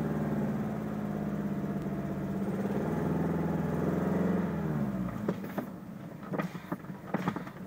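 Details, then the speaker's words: Toyota Tercel bought after sitting over a year: uneven, lumpy idle with a stumbling beat about three times a second, then the engine dies; owner suspects a severe misfire, cause not confirmed. "runs like shit."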